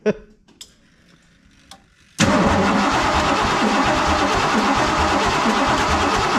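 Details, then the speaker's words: Ford F150 with freshly built 347 stroker, first-start attempt: starter turns the engine steadily at about three pulses a second but it never catches, with spraying and clicking heard up top; distributor suspected, not confirmed. "Okay. I hear it, it's doing something up here. Yeah, I hear it spraying and clicking."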